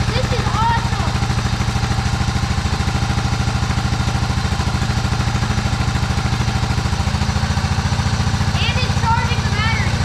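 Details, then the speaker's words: Old Cub Cadet riding mower, sat for years in a barn, just started without starting spray: low, steady thumping idle with regular firing beat, birds in background; engine runs evenly. "oh it almost went oh it it's trying to oh it's so close yes it's running yes"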